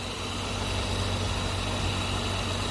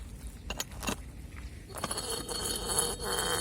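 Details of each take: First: Radiator fan, which had started whistling in heat near 40°C and was rusty from water and engine washing, runs after removal and reassembly: smooth even whir over idle, no whistle or ticking. Slight play remains in the worn impeller hub. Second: Removed radiator fan motor, rusty from water, spun by hand after brushing out its clogged, nearly seized bearing: squeaky rising and falling tones with gritty crunching from the dry bearing, which is riveted in and probably not replaceable.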